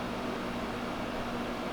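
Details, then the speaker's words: GE 5000 BTU window air conditioner switched to high fan, cold air moving across the room; steady even whoosh of air, no rattles, knocks or squeals; normal running on high fan. "Here, we're gonna go ahead and start turning it high. Man, that sounds good. You can feel the cold air moving along the entire room."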